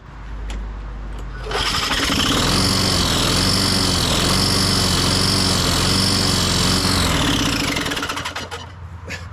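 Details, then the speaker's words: 1998 Ariens 21" self-propelled mower (model 911080, engine VLV60) after a new coil and flywheel key: catches, then runs lumpy at about three pulses a second with terrible clanking before dying. Self-propel isn't working, and a loose blade was later found. "I don't think I did that I think it died on its own there what sounds so terrible my goodness so the self-propel doesn't seem to be working but now it seems like it's wanting to do something and it's making such a terrible clanking sound"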